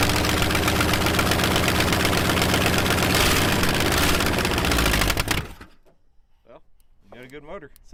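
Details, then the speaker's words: Junkyard 1961 Chrysler V8 with loose exhaust manifolds and no exhaust: loud, lumpy, uneven chuffing idle, probably running on about six cylinders; no bad mechanical noises or smoke. "Yeah, it's running on like six probably. >> Yeah. Manifolds are loose, too. So, that's kind of why it sounds so poor."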